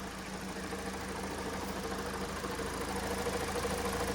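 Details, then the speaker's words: 2015 car, G4NA engine, 135,000 km, one owner, at idle: hum near 500 Hz firming up over seconds, a drone from the manual gearbox rather than engine; gearbox bearings confirmed worn. "Ну тут уже нефиг ждать что коробка успокоится Действительно это подшипники"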